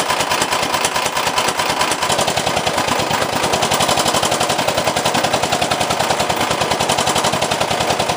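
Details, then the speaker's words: 389cc 13hp single-cylinder engine on an off-road kart, first fire-up after install and an oil top-up, makes a loud, rapid, even hammering of about ten blows a second. The owner suspects the connecting rod broke from the piston, which is unconfirmed. "Now when I go the other way, I think the rod broke off from the piston."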